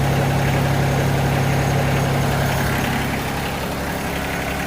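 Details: Yanmar SA324 diesel engine at its 200-hour service, just after a new fuel/water separator cartridge, fresh oil and a new oil filter: steady, even diesel idle with a smooth, regular beat, no knocks or misses; running healthy.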